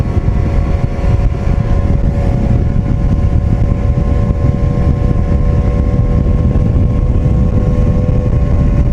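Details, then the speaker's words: Outboard on a Javelin boat, being test-run at the water after carb cleaning: steady, even drone with constant pitch and no stumbles or knocks. "Going to run it for just a little bit, try to crank it again, see what it does. Sounds good so far."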